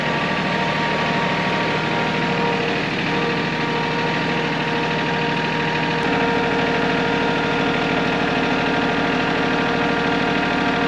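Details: John Deere E140 riding mower that quit while mowing from fuel starvation; after a leaf blocking the fuel was removed, the single engine ticks over at a steady, even idle with no misses or surging and runs clean.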